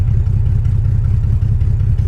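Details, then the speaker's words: BMW 325xi E46 all-wheel drive with open headers and no cats, at a stoplight while driving: loud, lumpy low rumble with uneven beat, wants to stall but keeps running; rough idle, cause unknown. "First stoplight, is it gonna die? Sounds like it's gonna die. It didn't die."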